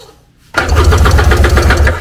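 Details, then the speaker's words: Abandoned Tigershark jet ski pulled from bushes, compression check: after a half-second pause, strong even cranking chugs about eight a second; compression good and equal, spark also present, carburetors next. Normal cranking compression. "this thing has compression and it sparks so we're going to check out the carburetors"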